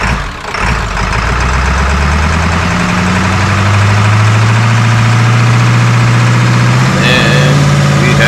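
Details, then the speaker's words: 2002 Ford F350 7.3L diesel, 238K miles, first start after injector cup and o-ring repair plus new passenger-side injector harness, valve cover still off; steady clatter revving cleanly, still puffing smoke but running fairly smooth on all cylinders. "Still having the puff and clearing everything out, but it's running. And it runs fairly smooth, actually."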